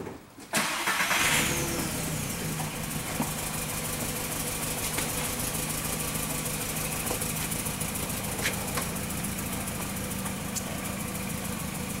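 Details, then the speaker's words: 2004 VW Jetta 2.0 L engine idling with an uneven stumbling pulse; misfire counters climbing rapidly on cylinder 3 (P0303), none on the others. "you can see there the misfire counters are going up pretty rapidly on the number three doesn't really show any misfires on the other cylinders"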